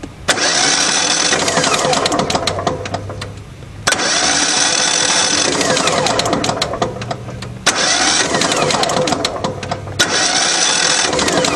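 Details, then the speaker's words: Craftsman DYT 4000 riding mower with a motor needing work: the starter spins the engine fast and light in three long bursts with no firing or chugging. There is no compression, so a rebuild is needed, or a replacement engine if the block is damaged. "okay listen to that no compression whatsoever on each"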